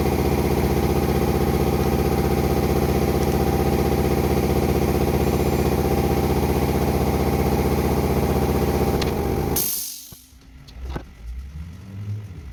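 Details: Toyota Land Cruiser VDJ76 2005 V8 diesel with manual gearbox after reconditioning with new input shaft bearing: steady idle with an even beat of about three per second, no whine or rumble from the gearbox, then engine shuts off.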